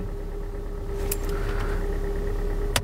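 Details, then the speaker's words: Kia Sportage 3 petrol engine, 250,000 km with only consumables changed, just started cold: dull, uneven knock beneath steady idle hum; piston group knocking, audible without an endoscope. "слышно как стучит поршневая группа То есть это слышно даже на таком пробеге в принципе и без эндоскопа Это понятно что уже поршневая застучала"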